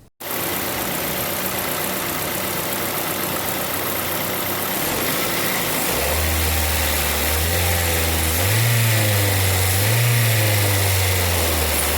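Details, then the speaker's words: 2005 Ford Focus ZX3, about 200,000 miles, after repairs to a high idle with code P2004 (IRCV): steady low hum at idle, speed lifting gently then holding even without hunting or surging; normal idle. "so here's the final shot of everything working right and I'll catch you on the next one"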